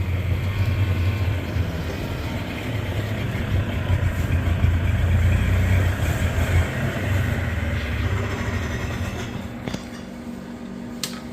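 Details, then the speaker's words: Yamaha G1 golf cart single-cylinder engine, running again after fixing a corroded ignition switch, sketchy wiring and a trigger coil problem, chugging steadily at an even beat as it is driven into the garage, no misses or knocks; runs healthy. "Purrs too, listen to that. Runs great."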